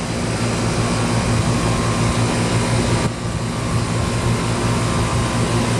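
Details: 1995 Tempstar 5000 central AC with a Copeland reciprocating compressor, first startup of 2024 in its 29th season, 87°F outside. A steady low hum with fan whoosh over it, and no knocking or rattling at start. Running normally.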